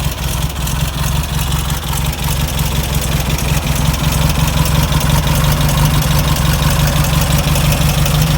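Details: Air-cooled VW Beetle, fan belt removed: steady idle with only a light, even lifter tick over a deep drone; knock gone, traced to fan or alternator.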